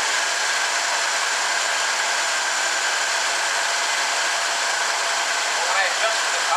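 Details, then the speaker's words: 1974 Chevrolet Blazer barn find engine running with choke fully on: steady airy hiss over uneven running; a vacuum leak is suspected, unconfirmed. "You got a vacuum leak somewhere? Right here, it almost sounds like it."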